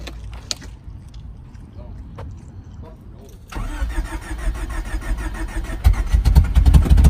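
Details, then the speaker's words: Freshly built Honda D16Z6 engine in a Civic, first start on fresh parts after two months of building: cranks and catches into an uneven, lumpy, rising idle; owner thinks ignition timing is off. "good that sounded so off timing I'm not I'm not happy about that at all"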